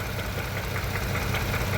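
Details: 2015 Range Rover Sport idling after an engine replacement: uneven, lumpy idle with irregular low thumps from a persistent cylinder 5 misfire; diagnosis found compression loss from a burnt valve, confirmed by engine teardown.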